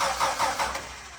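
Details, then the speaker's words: Dodge D5N truck, 245 Hemi, sitting 5 years: starter turns engine with even chugs about five a second, fading without firing while waiting for fuel through the line; crank no start, no fuel delivery. "Right, I'm going to keep cranking it over. Hopefully I get some action out of that fuel line."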